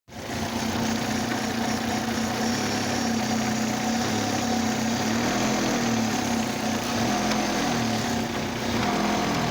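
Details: Oldsmobile Alero idling with a faintly uneven pulse and light tapping, reported as coming from the radiator, plus intense engine vibration on light acceleration and revs; a cylinder misfire is suspected. Cylinder misfire.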